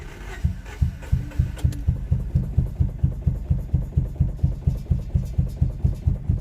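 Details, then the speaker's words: Boosted Honda Civic with Sea Foam added to the crankcase: it starts with low compression from sticky valves, then settles into a steady, even idle pulsing about twice a second, no knocks; idling fine now. "Come alive, just give her a second. See? Sticky valves. Now she's idling just fine."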